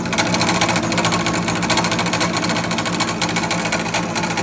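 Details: King PDM 30 round-column milling machine fly cutting: fast, harsh rapping about twice a second over the motor hum each time the cutter hits the material, loud clunking traced to the spindle in the head, which was then removed for servicing.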